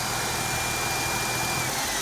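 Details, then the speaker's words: Mercedes-Benz C240 after fixing a crank-no-start (fuel pressure read 10, new fuel pump, fuel filter, spark plugs, cracked part sealed with liquid tape); smooth even idle hum with a faint steady hiss, no misses or knocks; normal idle. "So right now she is running golden. I am so happy right now."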